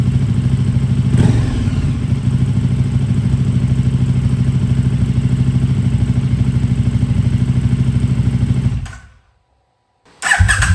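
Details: KTM RC8R with a swapped 2020+ third-gen 1290 Super Duke engine and electronics, first start after the swap: twin fires up, sharp rev, steady even idle, shuts off and restarts cleanly; normal idle and revving.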